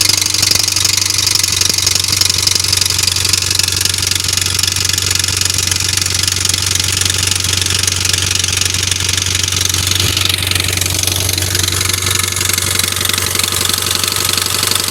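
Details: Mitsubishi Evo X petrol engine at cold-start idle with a steady rhythmic knock, about three per second, that fades after a minute and recurs on throttle. Cam solenoids and the timing chain, guides and tensioner were already replaced; the owner suspects the cam sprockets, not confirmed.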